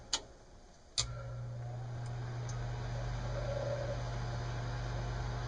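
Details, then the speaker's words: Lennox mid-efficiency furnace after replacing the noisy inducer fan motor with shot bearings: two clicks, then the new inducer starts and settles into a smooth, quiet, steady hum. Normal inducer fan operation. "okay motor is replaced and we're going to turn it on and we'll hear how much quieter it"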